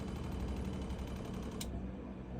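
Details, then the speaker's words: Motorhome water pump running a few seconds after the tap is closed: steady low buzzing hum with a fast even pulse as it repressurises the system; normal behaviour after priming. "So what happened there was the water pump carried on running for a few seconds after I turned the tap off to repressurize itself after I've drawn the water through."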